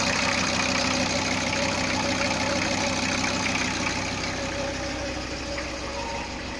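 Diesel ticks over at a steady clatter, about three beats a second, evenly spaced with no misfire or knock; sounds healthy.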